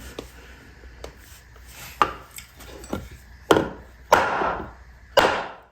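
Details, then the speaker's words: Infiniti G35 throwout bearing tapped onto its carrier through a 2x4: light woody taps change to three heavy, solid knocks with a longer ring as the bearing bottoms out, fully seated. "You hear the sound difference? That's what you're looking for. That means she's bottomed out."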